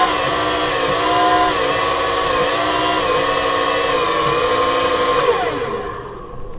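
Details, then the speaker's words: Free flood-damaged scissor lift (EWP) under remote control: a loud, steady hydraulic pump whine with a rough edge that slides down as it stops. Owner suspects the pump is poor, very noisy and not delivering much hydraulic fluid, and that the steering is bypassing. "I just have a feeling that pump isn't very good. It's very noisy and it's probably not pumping a whole lot of hydraulic fluid because, yeah, it can't even get it."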